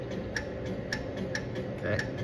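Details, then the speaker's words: 1972 Chevy C10 horn circuit, no horn: crisp relay clicks about every half second as the horn button is tapped, with no horn sound; relay switches but no power reaches the horn. "So, I'm just going to tap the horn button a couple times. So, while I'm tapping that, I can hear that relay clicking."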